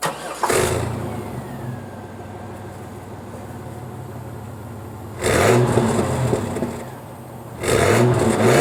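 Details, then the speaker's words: 1998 Chevrolet S10 after new Walker muffler fitted and tailpipe welded: engine starts, settles to low steady idle, two revs with smooth, muted exhaust and no rattle; internal muffler rattle gone. "I might do uh a few uh revs for you to show you how quiet it is"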